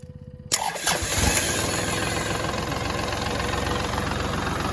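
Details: Kubota diesel tractor that would not crank despite power and an intact fuse, after the starter/switch wiring fault was fixed. The starter catches after half a second and settles into a steady, even idle chug with no misses. Normal running.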